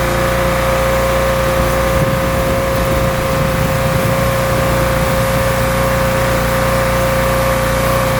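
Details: Rebuilt pressure washer small engine with a known leaking manifold, cleaning a car wheel: steady, even drone with pump loaded and constant whine, pulling without hunting; runs really well, normal running under load.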